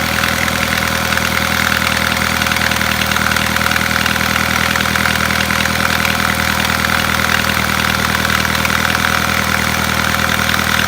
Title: Стук в двигателе Volkswagen Passat B6